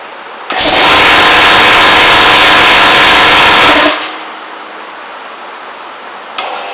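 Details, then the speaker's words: 240 V air compressor starting: harsh labouring drone for about three seconds that cuts off abruptly; motor strains to start against load, suspected non-unloading compressor (unloader/non-return valve) or faulty capacitor. "that's a sound you don't want to hear if you hold that's a not unloaded compressor or a problem with the capacitor"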